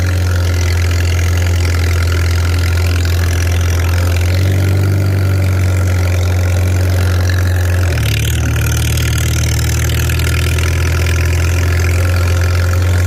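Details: Farmall 300 Row Crop, 600-hour tractor, test drive after exhaust manifold replacement (original rusted through) and clutch adjustment, camera on chest rig; steady, even low-pitched chug with brief note shift as it pulls away; healthy, TA working.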